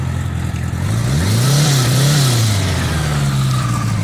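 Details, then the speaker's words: Restored 1976 Honda GL1000 Goldwing Limited, 21,700 miles, warm from recent run, in neutral; idles, revs and settles smoothly with even firing, no smoke, knocks or misses: runs really good. "No smoke. Sounds really good. Runs really good."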